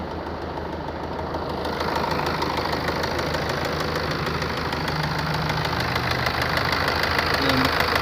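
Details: BMW 1 Series 118d diesel: idling with a sharp, regular knock about three times a second over the usual clatter; engine knocking, cause not determined.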